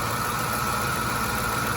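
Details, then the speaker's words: 2006 Ford F-150 at idle on a cold day: a steady high whine with a dry, gritty grind, first suspected to be the alternator. The cause was the dry, free-spinning bearing of a pulley hidden under the air intake. "so in the end the grinding noise came from this bearing right here you just feel how dry it is how it spins freely compared to the other one"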